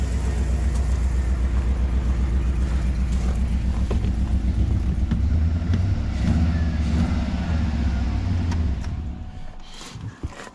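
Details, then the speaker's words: GM LS V8 truck idling after an exhaust manifold leak repair bracket was installed: deep even rumble with no manifold tick, running smoothly until shut off. "well guys I am super impressed camera is sideways um it sounds good it sounds really"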